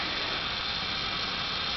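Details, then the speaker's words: Chennic DC-to-DC converter in 1987 Dodge Daytona electric conversion, 177.7 V pack, with headlights and power steering loading it: steady high airy hiss; converter works but hisses, notably hot to touch, cause unknown. "so a power steering pump is loud obnoxious dtdc converter does work but makes a weird hissing noise"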